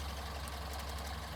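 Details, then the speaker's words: Restored Morris Minor 1000 convertible four-cylinder idling after choke eased off on a summer day; soft, steady, unhurried low beat with no knock, tick or miss, normal idle. "Sounds just like your Mogy should. Really, really does. Settles down to a lovely idle."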